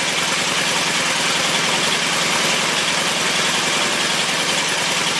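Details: Engine at steady, even idle after oil pumped up into the hydraulic lifters; no lifter tick or stumble, smooth and healthy, normal idle.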